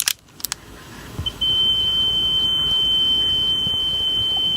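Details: Sony Walkman WM-EX610 cassette player after belt replacement, playing a test tone: clean high tone holds pitch steadily without warble; the new belt gives even tape speed.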